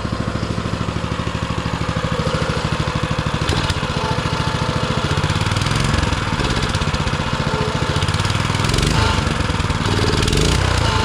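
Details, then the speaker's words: Baja Motorsports Baja Warrior mini bike, small single-cylinder, idling off choke in very cold weather: even, quick putter with a few light blips. Exhaust described as sounding like a lawn mower. Normal idle. "that's already off choke and it's just sitting there idling as pretty as it can be"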